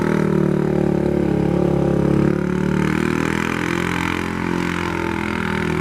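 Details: Polaris 570 ACE engine after a full rebuild for a knock from a dropped crank and rod: new crank, valves, high-compression parts. Steady even note with a brief rev, no ticking or knocking; normal running.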